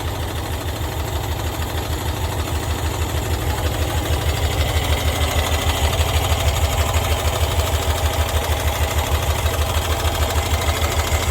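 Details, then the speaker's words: 1990s Cushman Truckster, sat in a field for years, first start with working fuel pump; fires straight up and settles into steady even low thump about three beats a second: running healthy. "This thing runs pretty good."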